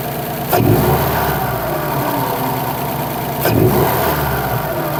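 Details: 2008–2014 Subaru WRX with a newly installed Cobb intake (post-MAF, no tune), heard from inside the car: a steady idle with two clean rev blips rising and falling smoothly, no misfire or rattle; healthy.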